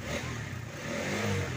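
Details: Honda CB150R (old model) with a battery that kept draining, after fitting an original stator and an aftermarket regulator/rectifier; battery too weak to start it, so it was kick-started. Revved during a warm-up to charge: brief clean, even revs with no knocks; normal running.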